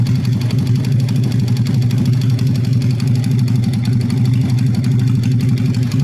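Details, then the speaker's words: Honda Vega R motorcycle, initial condition: smoking very heavily, stalls after starting; idles with a rough, uneven chuff and a clattery edge, harsh engine noise heard at the top end. "Oke cukup ya untuk kondisi awalnya seperti ini untuk berasap tebal banget Kemudian untuk suara kasar terdengar di are hit"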